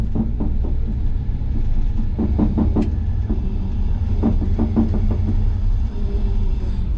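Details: Lifted squarebody Chevy with small-block headers and a glass-pack muffler, driving forward with the hubs locked in for snow after a recent clutch replacement: short bursts of dull clunks from the transmission tunnel area over road rumble, barely heard in reverse; a driveline fault.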